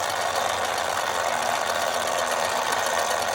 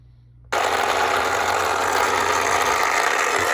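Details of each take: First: 1960s Remco Tiger Cat toy jeep after gear repair, tested with tension on the tire on low then high: even, steady gear whir with no skipping, clicking or grinding; normal gear drive with good tooth engagement. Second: 1960s Remco Tiger Cat toy jeep in gear: small motor whirs steadily with a rapid, uneven rattling click as the front axle ring gear skips at its broken tooth each turn.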